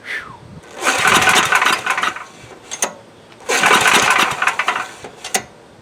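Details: Coleman Powermate MAXA 5000 ER generator, old 10 hp engine, newly fitted replacement carb: two recoil pulls spin it briefly with no firing pop; plug dry, no fuel reaching cylinder, no start.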